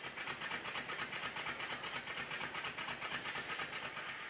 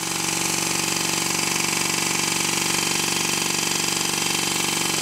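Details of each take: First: Rebuilt Stuart 10V steam engine on compressed air, after fitting two bearing shims and tightening the bearings: quick, even chuffing at about two beats per second with no knocks or rattles; smooth running, though valve timing is still to be adjusted. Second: Stuart 10V steam engine, rebuilt, running on compressed air: sharp rapid knocks about two and a half a second like a machine gun; tight spot at bottom of stroke because one crankshaft bearing sits higher than the other, needs shimming.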